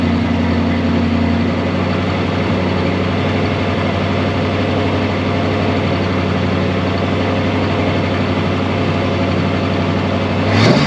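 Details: 1965 Ford Galaxie 500 project car, newly revived, with gauges showing oil pressure and coolant temperature: an even, steady low rumble with no misses, knocks or ticks for about ten seconds. The V8 idles smoothly.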